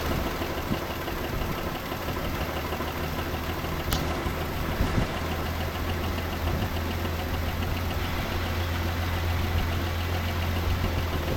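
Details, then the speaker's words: 1984 Chevrolet C10 pickup, old six-cylinder, 84k miles, unused since 1993; after fitting a new distributor to restore spark it starts well and settles into a steady, even idle with no knocks or misses. "Hey Started up pretty good. That's what happens when you have spark."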